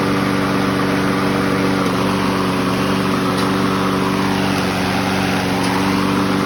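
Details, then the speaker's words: 2004 Craftsman 917.374430 mower, Briggs & Stratton 6.75 HP engine with rebuilt carb: small single-cylinder holding steady, even pitch without hunting or surging, running at correct governed speed; normal governed engine speed. "So, as you see, that sounds about right where it should be running at."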